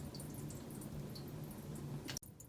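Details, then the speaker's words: Toilet tank with a two-piece flapper that has come apart, a piece fully detached, so it no longer seals; a quiet, continuous trickle of water seeping into the bowl. "i'm gonna be quiet for a second so you can hear the noise trickling okay now this is a two piece flap and what's happened is it's actually come apart"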